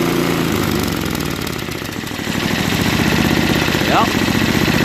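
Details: Craftsman 524 Trac Drive snowblower, previously running only on 75%–full choke, after quick carb clean: small single-cylinder engine putters evenly at steady idle without choke, no surging or hunting; running properly.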